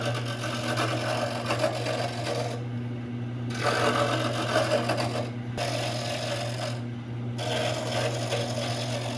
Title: 1952 Craftsman Lathe - First start-up and test